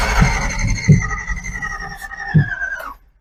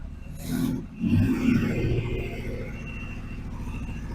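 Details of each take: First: 283 small-block Chevy in a Ford, revived after decades sitting: cranks with only scattered uneven firing thumps that never catch; ignition timing out, distributor bushings worn, points not opening and closing properly. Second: Chevy 283 small-block V8 in a Ford, long dormant, rusted and formerly stuck, with electronic ignition and timing advanced. It fires up rough, then revs to loosen the rings and settles to a steadier rumble: normal running and revving.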